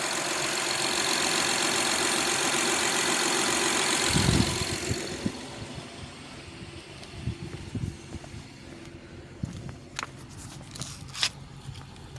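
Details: 2011-2017 Honda Odyssey, first start after timing belt kit replacement (over 12 hours of work): smooth, even idle with a soft steady hum, no ticking or knocking, then quieter with a few light clicks; normal idle.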